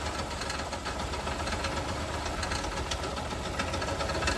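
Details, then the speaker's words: Toyota Kluger at 331,000 km, sitting for years, first start on about 10 litres of fresh fuel: fires right up, then uneven knocking about three to four a second over a rough idle; engine sounds unhealthy, smells cooked, knock undiagnosed. "wow let's take this off watch the fired right up but she doesn't sound very healthy at all"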